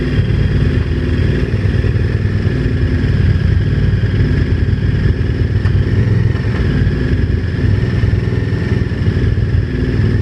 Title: VTR1000 engine knocking